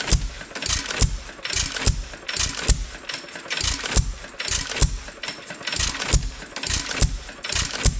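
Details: Roughly 100-year-old 2.5HP Alpha DeLaval hit-and-miss engine with Wico EK magneto and original spark plug, once used to run a milking vacuum pump: crisp firing bangs about once a second in uneven clusters with coasting gaps; the governor cycles it healthily.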